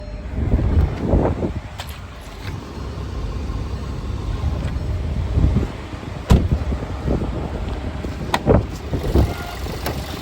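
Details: 2016 VW Jetta petrol engine idling with irregular bursts of metallic rattle over a low rumble. A loose timing chain is suspected, not confirmed.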